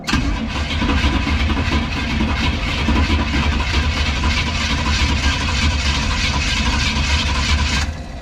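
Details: 1972 Mazda with a NASCAR V8, fresh gas added; steady starter churn for several seconds, engine spinning freely and evenly but never firing. Engine not locked up; cranks but won't start.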